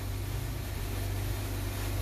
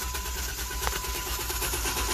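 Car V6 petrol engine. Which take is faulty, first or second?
first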